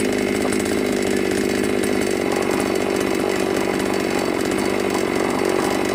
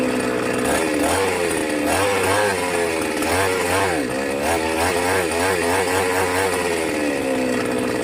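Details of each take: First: New Magnum G11 chainsaw that would bog and die on acceleration, after carburetor reassembly and removing carb neck restrictor: loud steady high-rev buzz, clean without stumbling or dying; revving normally. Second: New Magnum G11 chainsaw straight from the box: revs rise unevenly, stumble and sag instead of climbing, then settle back, bogging and stalling on acceleration; re-tuning the carburettor didn't help, restrictor fitted at the carburettor.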